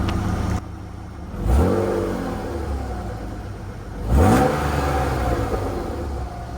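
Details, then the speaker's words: BMW E36 after temporary exhaust repair, warmed up a little: two revs climbing cleanly and dropping back to steady idle, exhaust note clear, no rattle or misfire; normal revving. "Sounds way better now. Can actually hear the exhaust note. Now that it's warmed up a little bit, I'm going to give it some revs."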